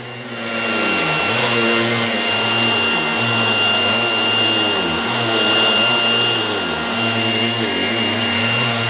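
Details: Goblin Roto 1980s mains-powered handheld vacuum cleaner with rotating brush, demonstrated after fitting the inner bag; loud steady motor whine with high whistle and brush whirr, dipping slightly under load; noisy but fairly effective, running normally.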